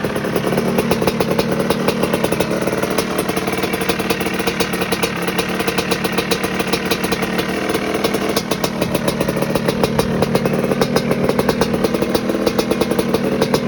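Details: 1986 Maico GM Star 250 (M-Star) two-stroke, first warm-up after fixing a head problem: crisp rapid crackle at a steady idle with even firing and no misfires; healthy.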